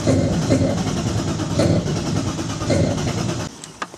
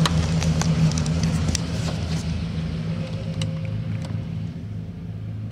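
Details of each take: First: BMW E36 320i turbo drift car with 182,000 km, first start attempt: the starter whirs in a rhythmic churn for about three seconds, never catches and stops; it cranks but won't start because the tank is empty. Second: BMW E36 320i turbo drift car with 182,000 on the clock, after refuelling: the starter churns, the engine catches around six seconds and settles into a steady, even idle, described as running like clockwork; a normal start.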